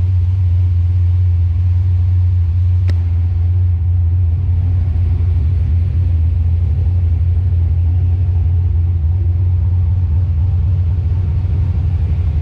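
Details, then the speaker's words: Calypso green 1993 Mustang Cobra tribute build after header leak fixed: deep steady low rumble at idle with even pulse, no ticking or puffing; healthy, quiet, well-sealed exhaust. "i want you guys to hear just how quiet this thing is now that we've got the header leak fixed"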